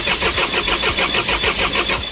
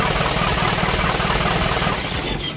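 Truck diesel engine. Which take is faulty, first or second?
first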